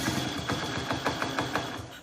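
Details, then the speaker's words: 1971 Honda Trail CT70 barn find, no key, single-wire kill-switch ignition; after fuel poured in, the little single catches with quick ragged pops, about six a second, over a drill's whirr, then fades: engine firing, needs a proper fuel source. "Just got to have a little faith, a little patience, and that's cool. She's a quiet little Trail 70, isn't it?"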